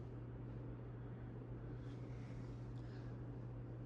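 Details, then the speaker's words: 1984 Hunter Original ceiling fan with 3-speed 2.5 A R&M-based motor: a quiet, constant low electrical hum under the fan running, steady with no rhythm or rattle. Slight motor hum that barely affects performance, cause unclear. "It doesn't really affect the performance that badly. It just has a little bit of a hum."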